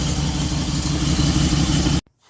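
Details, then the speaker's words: 2006 Dodge Durango 4x4 running after a repair: loud, rough slapping roar with a thin squeal as the serpentine belt shreds and climbs off an upper pulley. "Whoa, the belt is just shredding itself."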